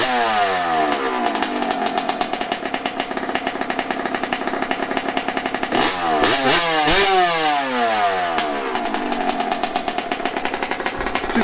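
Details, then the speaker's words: Yamaha YZ125 two-stroke after a carburetor adjustment, restarted with one kick: it revs up and down crisply with no bogging or misfire, running as it is supposed to. "i'm born for sure for sure that's how she's supposed to sound"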